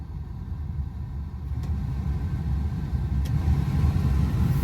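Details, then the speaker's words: 1986 Toyota Pickup idling, heater blower on high after cleaning debris from the squirrel cage: steady blowing and low rumble, the earlier weird noises that rose with fan speed now gone. "Now, obviously, you can hear it blowing, but there's no more of those noises."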